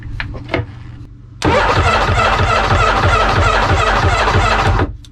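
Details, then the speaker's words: Jet ski (2001 Yamaha WaveRunner LX800 or 1996 Sea-Doo GTX) unrun for years, starter jumped straight to the battery: the starter spins the engine at a steady chug for over three seconds with no firing; starter good, but no spark. "okay starter is good I doubt we'll have any kind of spark but let just try"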